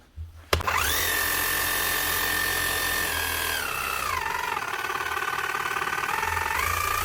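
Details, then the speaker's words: Makita HM0860C chipping hammer after repair for a burnt-out motor (new armature on old crank): motor spins up to steady high whine with even hammering, faint gear whirr as gears not fully meshing from slight crank wear; running normally. "Not so bad. There's a wee bit of a noise of it from the gears because they're not completely meshing now."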